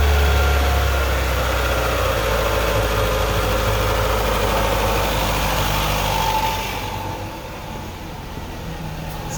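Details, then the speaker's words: 2008 Chevy Aveo5 after a welded repair of a severe exhaust leak: even, steady running that settles quieter with no puffing or ticking from the pipe; exhaust sealed and back to normal. "success the car is right back to sounding like it should mundane pleased with the result"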